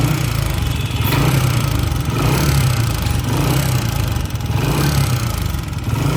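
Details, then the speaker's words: Old-model Honda CG 125 single-cylinder running steadily with a loud clattering rattle from the head over the exhaust beat; sounds like it needs a rebuild, but not cam gear or connecting rod, a worn rocker plate, fixed by tappet adjustment. "इस engine के अंदर बहुत ही ज्यादा शोर है ऐसे लग रहा है कि यह इंजन दोबारा से रिबिल्ड होगा पर ऐसा करने की जरूरत नहीं है"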